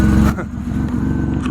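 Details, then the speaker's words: 2005 Ford Five Hundred, low-mileage, engine idling: uneven stumbling idle with missing pulses; definite misfire, code for cylinder 2 misfire; cause not yet determined. "So you can hear it as a definite misfire. It's coming up with a code."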